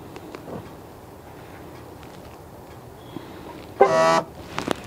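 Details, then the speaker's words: 2016 Dodge Caravan sliding door on locking: quiet background, then a sharp, raspy electric buzz of under half a second from a faulty door lock actuator, to be replaced. "so complain of this car when you lock it you can hear a sounds coming from the door actuator"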